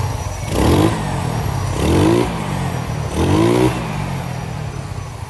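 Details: Yamaha Nouvo Z undergoing restoration and bore-up, reassembled after carburetor cleaning, previously had a ticking engine noise: three quick throttle blips climbing and falling cleanly, no ticking; normal engine revving.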